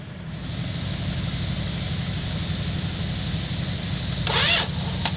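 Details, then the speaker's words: 1963 Dodge Dart, 225 slant six, sat 7-8 years, battery charged, gas poured down the carb, bumped with a screwdriver: steady low churning crank about four beats a second, brief rougher burst as it almost catches; long crank, nearly fires. "Oh, so close."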